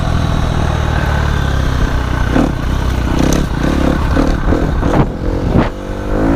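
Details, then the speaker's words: KTM 250 SX-F four-stroke dirt bike, after sitting a year, started after an oil change: even idle, then several sharp blips climbing and falling cleanly, no rattles; engine runs healthy. "so yeah I'm pumped bike works great"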